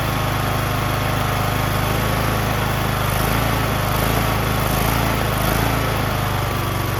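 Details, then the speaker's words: John Deere LA110 lawn tractor, rebuilt Briggs 19.5HP engine with new carb, claimed seized but only hard to turn: steady, even drone with clean low throb, no misses or knocks; runs great after rebuild. "How stoked am I? Are you guys stoked? I rebuilt this engine. Can you believe it? Runs great."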